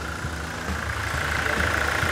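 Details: Toyota SW4 2017 with 2.8 1GD diesel, engine just installed with coolant, idling as it warms up under a pressure gauge and leak check: steady, even idle with low regular beat, no knocks or ticks. Engine runs smooth and healthy.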